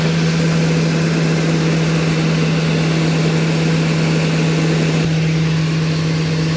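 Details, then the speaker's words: 2002 Ford E-250 van after engine reassembly and coolant flush, idling with a filter over the intake: strong low hum with an odd constant droning tone over it; source unknown. "I don't know why it's making that noise. I wonder if that's just I don't know."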